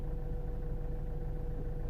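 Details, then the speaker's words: 2008 Citroen C4 Picasso diesel, rear air suspension sitting very low, codes C1621, C1196, C118C. The compressor hums low and steady but the ride height doesn't change; owner suspects a leak, compressor or left/right solenoids, later traced to a faulty air spring: leaking air spring. "I'm not most likely guys we're gonna have either a leak somewhere or about compressor maybe this solenoids as well that controls left on the right hand side"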